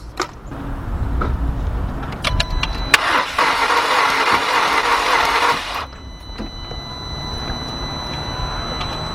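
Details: Cranking a 2.0 engine (VW Passat/Jetta/GTI/EOS, Audi A3/A4/TT family): starter spins it fast and evenly with no compression pulses and no catch. The timing belt is confirmed intact, so the suspected cause is the rear timing chain.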